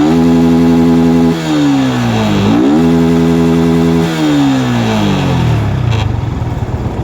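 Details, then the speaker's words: Old Yamaha R15 (Exciter engine) that previously ran rich and stumbled from an aftermarket injector; stock injector advised. Crisp throttle blips now rise and fall quickly and cleanly with no stumble. Normal throttle response. "เดี๋ยวเบิ้ลรอบตัดให้ดูเนี้ยคือรอบขึ้นไวมากปกติ"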